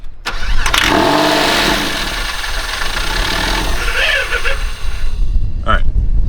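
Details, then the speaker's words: Crash-damaged 1999 Porsche 911 (996), first start in about 12 years, running only on starting fluid with no coolant, before the fuel pump swap: it cranks, catches and stumbles unevenly with surging; it runs terribly. "obviously runs terribly but it runs cool"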